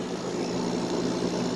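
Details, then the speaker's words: Normal running of a 5,000 BTU Fedders window air conditioner, likely early 2000s, after a few minutes on high cool. A low, even, steady hum with no rattle or knocking; the compressor is really nice sounding. "That's got a nice sounding compressor. Low. That compressor is nice sounding. That is really nice sounding."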